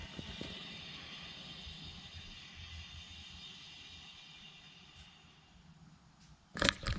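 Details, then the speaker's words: 2018 VW GTI SE, rear wheels raised, good-side rear wheel spun by hand: soft, even whir fading smoothly, no grinding, rubbing or whoosh; normal wheel, compared against the rear passenger side with a suspected odd noise. "smooth, right? And this is the good one."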